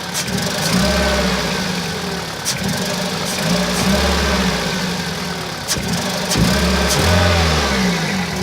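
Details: 2001 Toyota Celica VVT-i at 140,000 km, revved in repeated swells: runs lumpy and uneven, roughest at low revs and worse when warm. Misfire on cylinders 2 and 3, with P0300 and occasional P0420.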